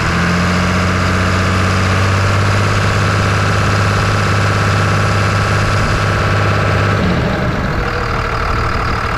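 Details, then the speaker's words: 1999 Ram 2500 with a 24-valve Cummins diesel, after head gasket replacement and bleeding the fuel lines. Loud, steady low idle with an even rumble, no misses or knocks, smoother than before: normal idle. "It's loud, but you can tell it runs a lot smoother than it did."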